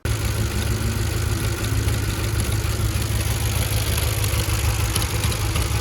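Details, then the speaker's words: Audi S4 B6/B7 4.2 V8 cold start with a rough, uneven clattering rattle under the low rumble lasting more than a few seconds; worn timing chains and adjusters need doing soon. "chain rattle on a cold start if it's just a couple of seconds it's sort of normal if it's more than 3 or 4 seconds you definitely should be concerned that the chain will need doing soon"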